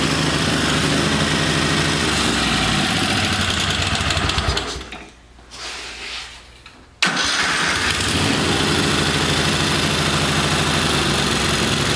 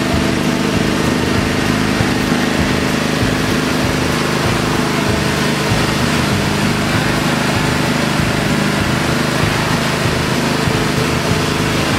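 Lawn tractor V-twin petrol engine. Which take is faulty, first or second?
first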